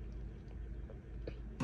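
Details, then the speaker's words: Bessacarr E789 motorhome gas boiler on propane, set to 60° hot water: a couple of sharp ignition clicks then quiet as the burner lights straight away; normal ignition. "I can hear that that's lit straight up so yeah working really really nicely"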